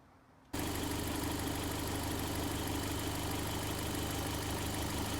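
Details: Toyota MR2 with Gen5 engine swapped in from a Caldina: engine catches then holds a steady, even idle with light regular pulse, no knocks or stumbles; normal idle. Owner suspects a twisted, damaged part could set the check engine light.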